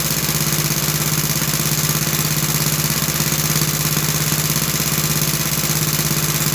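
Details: 1960s English-made Suffolk single-cylinder engine, about 66 years old, after a carburettor clean and new plug wire: even steady beat around two hundred per minute with a clean low hum, no misses or knocks, running healthy.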